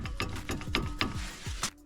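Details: Lada Vesta NG (bought from second half of 2023), wheel removed, front caliper rocked by hand: sharp metallic clunks about four a second; loose worn caliper guide pins knocking.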